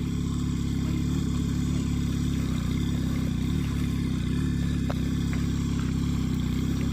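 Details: Yamaha crop-spraying helicopter engine running in during a pre-flight system and injector check; steady, even, buzzy small-engine drone like a motorcycle, with no knocks or surging. Sounds healthy.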